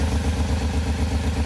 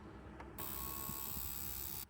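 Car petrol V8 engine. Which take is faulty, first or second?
first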